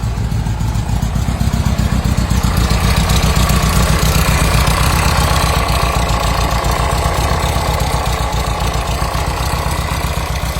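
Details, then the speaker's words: Volkswagen Combi with Type 3 engine, idling: loud steady knocking about four per second from inside the engine; the turbine/fan shroud was suspected of rubbing or being loose but is tight, and the noise changes with the cap removed and fades when revving. "Ahí es donde ya nos atrevemos a decirle a cliente que es interno porque nosotros creíamos que la turbina estaba rozando aquí atrás o que estaba floja pero no no está apretadas"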